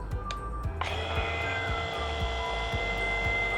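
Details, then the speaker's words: Makita DVP180Z cordless vacuum pump on a Milwaukee 4.0 battery via adapter, hoses tightened on a Fieldpiece SMAN 380V manifold, for home AC: switch click, then a smooth steady hum settling quickly, no knocking; healthy startup before shifting to second stage. "pumpa počinje, čujete kako zuli i ubrzo ćete čuti i kada ubrza na taj drugi stepen."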